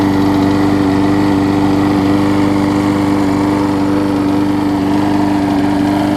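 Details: Husqvarna mower with aluminum deck, single-cylinder, after replacing cracked gas tank and gummed-up carb (carb slightly warped) plus tune-up; holds a steady, even hum without surging or sputtering, low vibration: normal running.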